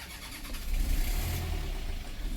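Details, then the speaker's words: A boat diesel that has hardly been run cranks with a low rumble, slowly catches and rises into an uneven, labouring run. It is a slow, hard start after sitting unused; the owner plans to run it for hours and change the oil. "as we hear. Anyway, we'll get it running again. I need to run this thing for hours."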